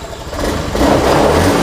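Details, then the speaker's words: A Honda Beat fuel-injected scooter that sputtered after an ECU replacement picks up, then settles into a steady, even hum with no misfire. Revs rising then dropping at start is the normal sign of an injected engine. "Itu motornya normal tanda-tanda kalau motor injeksi kayak gitu"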